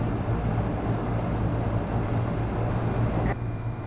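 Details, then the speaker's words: Old Carrier air conditioning unit among several units running: steady deep hum with constant drone and some wind, no pitch change; runs but unusually loud. "and just shut off and the one you're hearing is that old carrier there all right that thing is loud"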